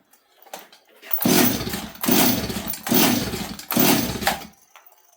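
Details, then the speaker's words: Stihl 026 chainsaw on choke, carb jets adjusted: four pull-start rasps spinning with no firing pops; cranks but won't start, owner suspects it is flooded, spitting fuel from the carb or muffler, plans to try a different coil. "well friends maybe that wasn't I don't know if that was the problem I don't know why this thing's not starting makes no sense to me"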